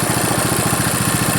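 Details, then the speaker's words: Powerfist small single-cylinder engine, first run after a complete teardown and reassembly. Runs steadily at about fifteen even pulses a second with no misses, knocks or rattles; sounds healthy. "sounds good though for you know being tore right down to nothing"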